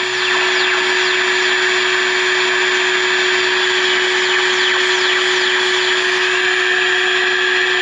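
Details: Sylvania All American Five AM radio during alignment at 1450 kc: a steady, constant high whine with a fainter shrill tone above. It comes from the standby circuit of an arbitrary waveform generator on the bench, not from the radio.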